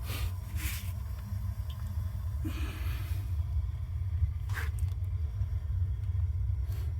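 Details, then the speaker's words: Gas water heater, 75-gallon tank, after replacing leaking connection hose: burner turned on, soft whoosh as flame ignites then steady low, even roar with no popping or flutter; normal burner operation. "I'm going to turn it on you hear that that was the sound of the flame igniting"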